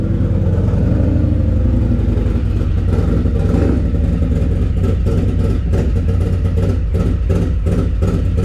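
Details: Harley-Davidson Lowrider S, Milwaukee-Eight 131ci Stage IV kit, stock compression, Cycle-Rama 512 cam replacing Screamin' Eagle 517: full-throttle dyno run, deep loud V-twin roar under load, firm even pulses, no knock or miss; made about 147hp and 149ft-lb, normal.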